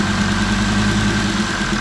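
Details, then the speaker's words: Jeep Grand Cherokee WJ 2.7 CRD diesel (Mercedes OM612), runs but smokes heavily, during a flush: loud steady idle with a hard rattling knock and slight unevenness, warning lights and misfiring; cause undetermined. "hts came on and then a lot of misfiring and a lot of knocking noises but still R very okay"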